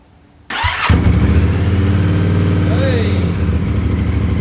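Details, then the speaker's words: Yamaha Tenere 700 twin, over 40,000 km, first start after valve clearance check and reshim, fuel primed: starter barely turns before it fires, settling into a steady, even idle; clean, healthy start. "let's turn it on and see if it'll start I just turn it on a couple of times get that fuel primed that sounds good anyway"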